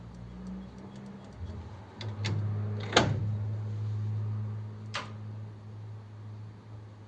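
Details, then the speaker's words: 1932 two-door sedan overdrive after switch repair: sharp clicks and a low electrical hum that stops with a click as the solenoid releases normally on shifting out of fourth or operating the secondary contact. "switch it's a pretty clever setup because it'll come out when you give it a second secondary contact like that or if it's in it comes out when you shift out of fourth gear"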